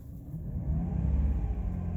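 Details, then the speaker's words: 2006 Jeep Liberty with P0300 multi-misfire code (cylinder 6 flagged) after clearing code and restarting: deep, even rumble climbing smoothly with a throttle blip, steady RPM, no stumbling; runs clean, normal engine rev. "okay it's running there's no misfire run smooth look at the RPMs Steady As She Goes"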